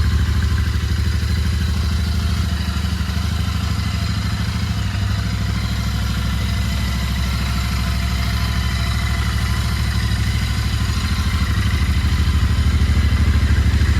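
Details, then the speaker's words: Royal Enfield Interceptor 650 twin, 15,944 km, cold start after sitting 7 days, battery six to seven months old: even, steady thump at idle with no knocks or misses. Normal idle after cold start. "ഒരു ആറ് ഏഴ് മാസം ആയതേ ഉള്ളൂ അതുകൊണ്ടായിരിക്കും എന്തായാലും വണ്ടി start ആയിട്ടുണ്ട്"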